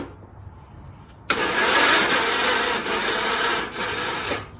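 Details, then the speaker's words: Ride-on mower after a disconnected switch connection was taped back together. The starter cranks steadily for a few seconds but the engine never catches. It cranks but won't start; the owner suspects the magneto/ignition coil and has ordered a new one. "Now I'm just trying to get the start. It ain't wanting to start now."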